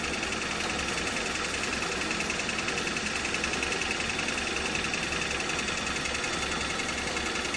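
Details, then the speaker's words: Hyundai Solaris 2 with a new Chinese 1.4 G4LC replacement engine, revved: loud, dense, even knocking about three to four per second, localized to one area of the engine; knock. "Не, он прямо вот тут стучит -то прямо явно. Прямо где-то вот в этой части."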